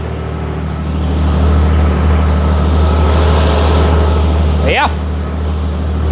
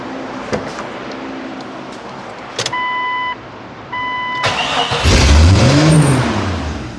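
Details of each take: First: Jeep after exhaust manifold replacement and retightening all bolts: low, steady, even hum idling at 800 rpm with a brief chirp near the end; normal idle after the fix. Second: Vehicle just after exhaust manifold replacement (driveshaft failure damaged exhaust), startup: catches and immediately surges, revving to the moon instead of settling; suspected large vacuum leak.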